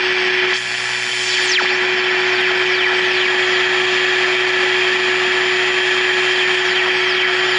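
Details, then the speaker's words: During alignment of a Sylvania All American Five AM radio tuned to 1450: steady high-pitched whine at one pitch over constant hiss, coming from the arbitrary waveform generator on standby, not the radio. "by the way you hear that sound going that is actually coming from the standby of my arbitrary waveform generator ask me how long it took to find that one out"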